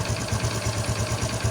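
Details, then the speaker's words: Honda XRM125 FI after tensioner work and oil bleed: steady, even single-cylinder idle with regular low pulses, excessive earlier noise gone, no metallic rattle; smooth and healthy. "So normal na normal yung andar na ng makina. So natanggal na yung sobrang ingay kanina."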